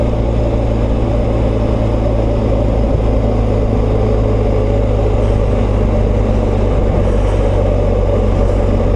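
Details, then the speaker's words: BMW R1250GS boxer twin on a ride: even-running engine with dry mechanical valvetrain clatter over the exhaust drone, carrying up into the fairing; the usual noise of this flat-twin, also heard on the RT, not a fault. "Bon, on entend quand même le bruit de la distribution. C'est ce que je reprochais déjà sur ma RT. Ça fait du bruit, ça remonte dans le carénage là."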